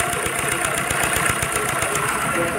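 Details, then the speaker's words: Car at idle with a busy whirring rattle over the idle and no clear knock; the loud noise is traced to a faulty supercharger, alongside a pulley with play in the belt drive. "e o outro barulho forte é dessa peça aqui ó que é o super char desse carro aqui tá com problema tá"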